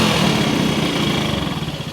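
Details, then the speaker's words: 1974 Kawasaki KS125 after decades sitting, pilot jet later blamed for running trouble: idle screw turned way up, small single runs fast and buzzy with no settled tickover; idle set far too high. "Hey, I just not had the the idle yet screaming all the way. I mean the idle needle."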